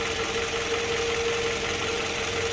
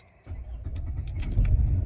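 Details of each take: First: Toyota Harrier petrol engine during morning warm-up, idling roughly with RPM needle rising and falling and the engine shaking; an irregular low thump under a steady hum, suspected combustion leak, pointing to a cylinder misfire. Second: Toyota Harrier after replacing a faulty ignition coil that caused fluctuating rpm and vibration: the engine catches and settles to a steady, even low rumble with stable rpm and no hunting. The fix worked.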